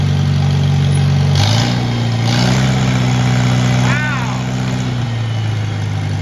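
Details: 1949 Farmall Cub tractor being revived, after tightening two bolts at a lost connection: chugs steadily, picks up cleanly on throttle and settles back without missing; running well.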